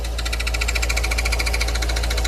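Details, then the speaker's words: Fiat Uno with freshly rebuilt engine, quiet at idle, makes a fast even metallic ticking rattle when the clutch pedal is pressed; defect in the new clutch inside the gearbox, so the gearbox is coming out. "preste atenção nesse barulho aí quando pisa na embreagem galera o motorzinho tá aqui bacaninha silencioso ali ó ali é a embreagem nova"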